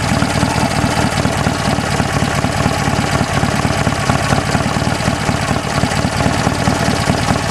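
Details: BSA A10 twin with its timed breather replaced by two one-way Bunn breather valves: steady idle with a light, rapid clacking of the valves riding on the exhaust beat; normal, healthy running.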